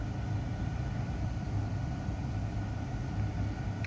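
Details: 2011 Jeep Grand Cherokee (WK2) after replacing ground straps that caused no-crank and code P0622: steady, even low rumble with no knocks, ticks or dips; smooth, healthy idle.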